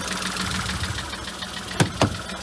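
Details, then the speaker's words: VW Polo 1.2 salvage car, first start after a new sump, gasket, oil and tensioner, auxiliary belt refitted, warming up; rough uneven idle with a couple of sharp knocks, cause not yet known. "yeah it's uh sounds like it's knocking a little bit which isn't good I'm sure we'll get the bottom of it"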